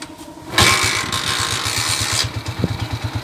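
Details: TMX155 single-cylinder motorcycle after overhaul for engine noise and noisy third gear: starts on one kick, settles into a steady, even idle thump.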